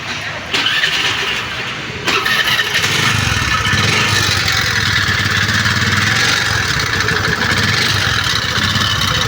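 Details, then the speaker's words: Honda Dio scooter serviced elsewhere with cheap local oil: engine fires up into a harsh, rattly, uneven clatter; no oil at all found in the engine when drained. "பாருங்க sound கேட்டிருப்பீங்க அது மட்டுமில்லாம ஆயிலே இல்லை இன்ஜின்ல ஆயிலே இல்லை"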